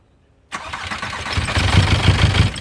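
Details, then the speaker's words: VW Passat B4 diesel, first start after a full engine rebuild of the head and bottom end, with fuel lines bled: a short crank, then it catches cleanly into a steady, even chug with no misses or knocks; normal start. "oh damn didn't expect that she wants to run"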